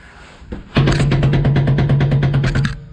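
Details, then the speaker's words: Commercial vehicle air disc brake, axle jacked, brakes released, clunk test by hand: loud fast metallic clunking with far more movement than other calipers, indicating a problem in the adjuster mechanism; caliper shows impact damage. "you hear how loud that is not just loud there's a lot of movement going back and forth here a lot more than all of these other units um and that's an indication of a problem in the adjuster mechanism in this caliper"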